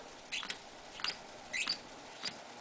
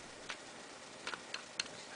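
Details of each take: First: RCA 87T tube radio, after reseating a 6F5 preamp tube: sharp irregular crackles and scratchy bursts, about two per second, when switching bands and tuning; dirty band switch contacts. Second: RCA 87T tube radio (labeled 87X) on a variac, chassis out, a leaky electrolytic capacitor: knife touched to phono input terminals gives sharp scattered crackles through the speaker; phono input and audio stage responding normally.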